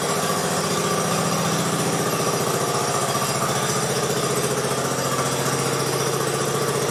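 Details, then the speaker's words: 1969 Sunset Orange Patio tractor, first start with new rear end fluid: steady even putter at fast idle with no knocks, misses or rattles; running fine. "let's try starting it up for the first time with that new fluid let's see if it sounds any better hopefully it does well it didn't sound too bad before but maybe we'll get a difference"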